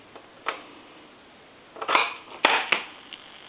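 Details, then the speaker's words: Coca-Cola animated polar bear telephone, earpiece on lifting the receiver: irregular pulsating buzzy electrical noise instead of dial tone, no dialing or transmit; faulty line circuit. "just makes a real funny electrical noise and kind of a pulsating electrical noise and i'm going to try to dial and i'm not getting any kind of a any kind of a dial out of it"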